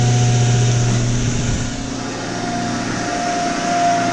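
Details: 2006 Toyota Sequoia cold-started at -15°F after sitting outside about 12 hours: steady low hum at a raised idle, even and smooth; normal cold fast idle.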